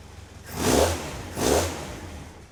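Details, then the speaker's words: Caterham Super Seven 1600GT Sprint, 1.6-litre carburettor engine, once stabilised after a chokeless cold start: steady idle with two quick throttle blips rising and falling cleanly; normal idle and revs. "But once it stabilizes, it idles."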